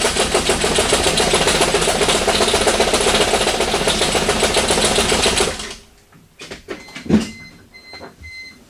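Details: 1989 Toyota Corolla engine at a poor, unstable idle: rapid, sharp metallic knocking in time with the idle, then shutdown; rod knock suspected.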